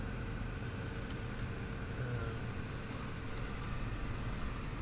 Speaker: so I was having on that'll go down soon too it's just warming up